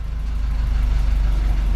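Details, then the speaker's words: Older Nissan idling on diagnostics; turning the steering raises the idle slightly to compensate for power-steering pressure, a low even idle that climbs steadily, normal idle control. "e aumentar ligeiramente o leitinho que é para compensar a pressão que está a ser feita no sistema de direção assistida"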